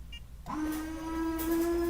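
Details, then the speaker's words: Honda/Acura windshield washer commanded on by a Launch Creader Elite 2.0 scan tool actuator test. Small pump kicks on with a steady mid-pitched whine and sprays. Normal washer pump operation. "Now, I can exit windshield washer command. Let's see if I can get the washers to come on."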